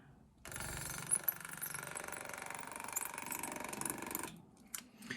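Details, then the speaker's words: Ultrasonic cutter with blade removed, tip pressed onto Reynolds foil against an aluminium block to weld it; steady buzzing whine throbs unevenly under load, pulsing suspected from the driver hardware disliking the mechanical loading, and the power supply starts flashing. "So that, that pulsing seems to be the driver hardware. Not being very happy with the mechanical loading on the end of here."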